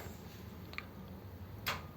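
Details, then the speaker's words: 1932 two-door sedan overdrive after switch repair, ancillary switch on: two crisp clicks about a second apart as the relay and solenoid pull in, with the ammeter moving under the solenoid load; fault fixed. "switch there we go that's fixed it switch and you can see the um amp gaug change as well with the the load from the solenoid that's good isn't it"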